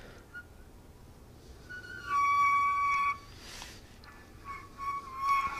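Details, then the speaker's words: Transmission roller clutch (sprag) turned by hand: light chirping and squeaks; normal roller clutch noise, not a fault. "And you rotate the shaft counterclockwise and you're like, what the hell is that noise? Well, it's just a sprag noise, a roller clutch noise."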